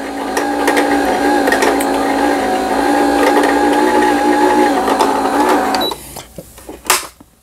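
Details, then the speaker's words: Riccar Quilt Friend digital sewing machine after repair of a lower-shaft gear fault and a misaligned hook (gama); it must not be run at high speed. Bobbin winding gives an even, smooth whirring hum for about six seconds with no knocking; the winder runs normally. "북실을 감는 영상이고요. 북실을 감아서 직접 북집에 넣어서 박음질을 해보도록 하겠습니다."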